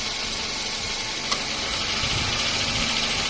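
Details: Toyota Wish idling with AC on, before replacing the AC compressor unit and bearing: loud steady hiss with faint uneven rattling, noise from the compressor or its bearing suspected.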